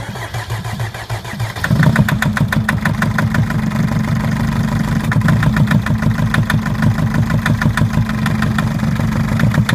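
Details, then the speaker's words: Mercedes Sprinter 904 with OM611 four-cylinder diesel: starts and settles to idle with a sharp, regular knock at about three per second over the engine; injector knock. "Итак сегодня у нас Спринтер 904 с двигателем 611 четырёхцилиндровый и вот как стучит"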